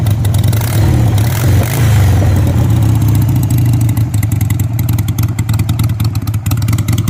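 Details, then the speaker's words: 2001 Harley Sportster 883 with a slip-on pipe, cold start at about 30 degrees on choke: loud barking V-twin settling into a choppy, uneven lope; exhaust too loud, owner suspects a vacuum leak causing rough running. "so that's too loud for me I think it doesn't sound bad a lot of people probably listen to and be like hell yeah brother sounds great but a little too too loud for me"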